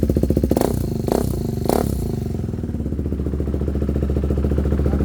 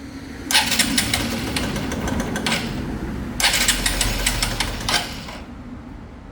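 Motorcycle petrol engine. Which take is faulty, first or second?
second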